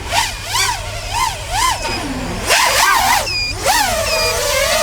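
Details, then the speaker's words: ARRIS X220 Pro FPV race drone flying in 2–3 mph wind: short high constant beeps cut through the rising and falling motor whine; low battery voltage alarm, time to land. "Okay. So you hear that constant beep? So it's time to bring it down."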